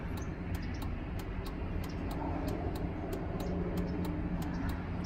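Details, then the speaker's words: 2003 Chevrolet Suburban, new replacement flasher module tested before reinstalling panels (old one intermittent, skipping on left signal): crisp, evenly spaced turn-signal clicks at a steady rate; first blink slightly quicker, otherwise normal. "it does do a different little see how it does the first blink it's kind of different it does a the the first blink it's quicker"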